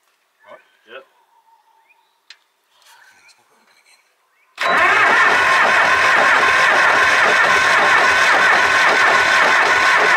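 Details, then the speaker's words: Supercharged Cummins diesel tractor after fitting a different injection pump: quiet, then loud steady churning as it cranks without firing; they suspect air still in the fuel system, since fuel and fumes come from the return line. "but it's pushing a heap of fumes out of it now like air or whatever so which way right back like fuel's coming out with like yeah so maybe it's still bleeding yeah it's getting that air from somewhere"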